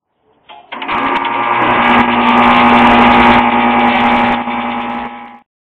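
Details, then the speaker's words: Four-year-old heat pump outdoor unit two feet outside the bedroom wall: soft even fan whoosh with steady low hum, no rattles or knocks, under light wind; running smooth and quiet. "I sleep right there that heat pumps two feet outside that wall sometimes I can't even tell if it was running"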